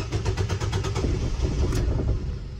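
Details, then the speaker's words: 2018 Nissan Versa 1.6 L four-cylinder that cranks but won't start since a paint job: the starter churns, the engine briefly catches, then stalls. "So you kind of started up there for a second, but it shut off."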